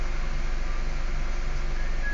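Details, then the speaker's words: Honda Brio after the weak battery was replaced: it starts normally and idles with a steady, even low hum and no knocks or stumbles, confirming the problem was the battery. "Kita akan coba starternya, dan hasilnya normal, jadi masalahnya memang ada pada baterai yang sudah basah atau apa"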